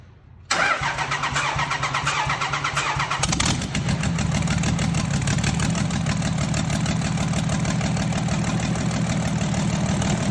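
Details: 2003 Cummins 5.9 diesel, 3500 single cab dually 6-speed, short block swapped and original cylinder head refitted after blown engine: brief cranking, then catches and settles into steady even clatter, no misses or knocks. Normal idle after rebuild.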